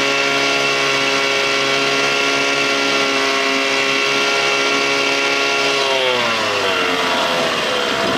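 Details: 1987 Johnson 6 hp two-stroke outboard on the water after carburetor swapped to fix bogging; smooth, even buzz at steady throttle, pitch falls cleanly when backed off; no bogging or misfires.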